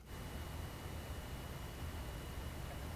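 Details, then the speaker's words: Raspberry Pi 3B+/4B new PoE+ HAT fan at its lowest speed, normal: soft, steady airy hum with a faint thin whine, even and quiet; fan speed tweakable via temperature settings. "here are both poe hat fans at the lowest speed first the new poe plus hat"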